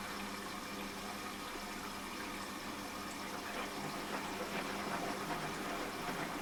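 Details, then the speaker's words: Washing machine after fitting a replacement drain pump, water filled to the bottom of the drum and pump triggered on spin: steady rush of water over a low, even pump hum, no grinding or rattling; the new pump empties properly. "There we go, pump's working. Right, fit the pump and it should be working now. With a bit of luck. See, it fills and drains now."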